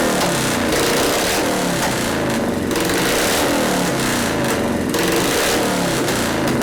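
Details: 1973 Harley-Davidson FX 74ci Shovelhead after frame swap and freed stuck carburetor float: V-twin lopes with uneven potato beat, steady without stumbles or backfires; idle circuit possibly not quite right, may need carb adjustment or cleaning.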